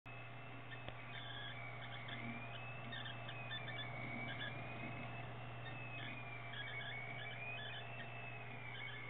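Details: Tagan Piperock BZ-700 PC power supply after two years of use: constant low hum with a high, wavering squeal on top that never settles; power supply whine, cause unknown.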